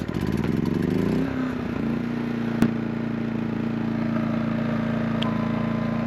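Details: RV macerator pump emptying grey tank into portable bladder, after refusing to run; fuse changed and hose ruled out before it restarted; steady low electric hum with constant tone after a brief rise; normal pump running.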